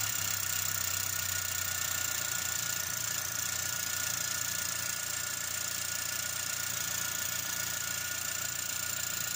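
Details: Ford Territory Titanium (complaint: low power, low charging, noisy shaking engine) idling just after start, following drying and cleaning of a moisture-damaged PCM board and connector. Steady, even idle with constant high-pitched hiss, no knocks or misses. Alternator found faulty.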